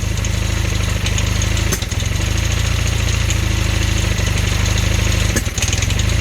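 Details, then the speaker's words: Honda Hondamatic 400 motorcycle, first run after 20+ years sitting, carbs cleaned: rough uneven idle with fast light top-end ticking at the front and popping; owner suspects sticking intake valve, needs valve adjustment. "I can still hear that ticking in the front"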